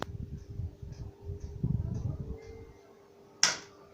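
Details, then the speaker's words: Standing pedestal fan after the loud noise was fixed by oiling the shaft; the bushings were fine. Run up to top speed, it gives a soft, low whir and faint steady hum, and the earlier ticking is gone: a normal, quiet fan. "مفيش صوت اهو الحمد لله، صوت التكه اللي كان موجود فيها اهي راح."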